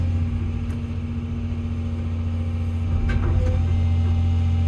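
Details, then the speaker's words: Diesel construction machine after a new pressure relief valve that had not sealed was pulled, inspected and refitted. Steady low drone with no surging, knock or misfire, plenty of power. Check engine light on, PRV count won't reset. Normal running. "so that new relief valve that is fitted hasn't managed to seal look what I've done listen to that Beast raw just um off camera I thought I'll just quickly pull that valve out and just have a look at it it just to see what it looks like I've put it back in and it's working a treat"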